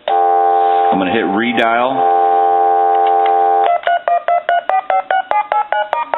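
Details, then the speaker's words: Original Spirit of St. Louis speakerphone after replacing the faulty tone generator IC: steady dial tone, then crisp even tone bursts about two per second; the phone now dials tones properly. "And I'm going to dial our numbers, but I'm doing this upside down. I'm going to hang out."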